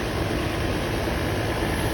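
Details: Land Rover Series 2A after cleanup and new carburettor needle and seat: smooth, even low idle with no misses, knocks or hunting; the charge light goes out, so the alternator is now working.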